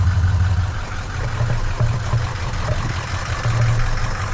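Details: Ford 6.0 diesel after a crank/no-start fixed by an oil change, once oil pressure built: even, low diesel rumble with steady beat and no misses; running normally at idle.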